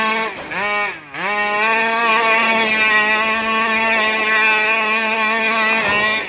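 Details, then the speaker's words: Rovan 5B fifth-scale two-stroke RC with new carburetor and clutch, first run, top-end being tuned richer: high-pitched screams, then revs sag and stumble before recovering during donuts; cutting out at high rpm, cause unconfirmed. "i don't know if you could hear it cut out while i was doing donuts right there i don't like that"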